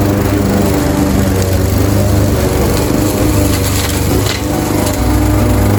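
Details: Craftsman 21-inch mower, 5.5 hp Honda GCV160, cutting grass at height level two after service: steady, even single-cylinder drone holding speed as it bites into grass, no misses or surging; healthy, fully functioning, nothing technically wrong.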